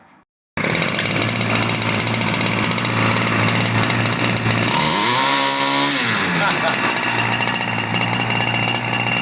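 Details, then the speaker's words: Ryobi 725r EZ two-stroke gas trimmer from the 90s: loud buzzy wail held at full throttle, dipping then steady and slightly higher rpm after leaning the carb screw; it had been running rich, spitting fuel and clogging the air filter. "all right you get a little bit higher rpm so this was spitting fuel out at first that was kind of the issue"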